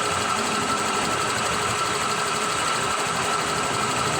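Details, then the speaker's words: Honda Click 125 version 3 scooter, 26,900 on the odometer: busy fast metallic ticking from the top end at idle; mechanic diagnoses worn cam chain tensioner, not the owner-suspected torque drive bearing, which is quiet; lifter and tensioner to be replaced. "Kanina talagang pagpunta dito ni Sir, dinig ko na no, may pitik-pitik. Yan, kanina mas malakas yan, may pitik. So yung tunog po na yan, ano, tensioner."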